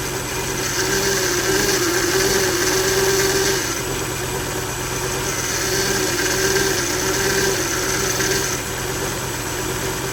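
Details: 2000 Volvo V70 idling with failed electronic throttle module (codes P0220, P1600): shaky uneven idle surging every few seconds, faint whine possibly bearing or pump; replacing ETM fixed it.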